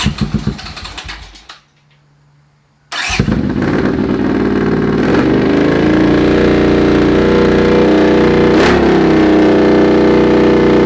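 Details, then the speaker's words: Honda CX500 scrambler with a secondhand slip-on muffler, ignition leads recently corrected: catches after a short crank and settles into a loud, deep, even idle. The exhaust is probably still a bit loud; a DB killer baffle is planned. "Still probably a little bit on the loud side."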